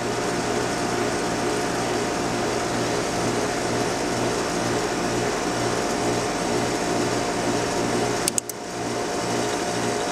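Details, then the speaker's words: Trane XL400 2.5-ton 14 SEER heat pump, new 2940 two-speed defrost board, low-fan test pins shorted: steady condenser fan rush over constant low motor hum, no surging; fan running fine on low speed. "yep so the fan goes from low speed back up the high speed when we let it off you heard it kind of rattling around in there"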